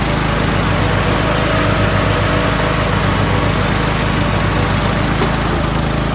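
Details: Toro Wheel Horse 1438HXL lawn tractor repowered with a rebuilt 17.5 hp engine, after mower deck belt and pulley replacement, deck engaged: steady, even engine drone at a fast beat with blades turning, pulls smoothly; everything works, normal running.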